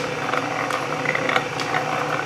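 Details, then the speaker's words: Refurbished Canedy-Otto drill press with power feed engaged: even, steady whir of straight-cut gears with light regular ticking and no clanking or grinding; gear drive healthy, though the belt needs tightening. "those straight putt gears aren't too loud and clanky"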